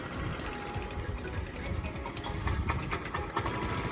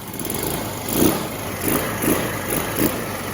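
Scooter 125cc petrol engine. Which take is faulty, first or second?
first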